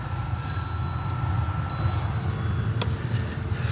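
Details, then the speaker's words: Toyota RAV4 cabin blower motor just replaced, key on: steady, even low rush of air from the fan with no rattles, squeals or speed wavering; new blower running normally. "put the key on and see if the fan comes on oh listen to that it's already blowing blowing"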